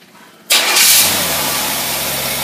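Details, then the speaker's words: Carter AFB 3660 carburetor on a Buick engine with old-style choke: quick crank, clean catch, straight into steady even idle without stumbling. Normal engine start. "this carburetor runs absolutely perfect here we go you watch it for yourself"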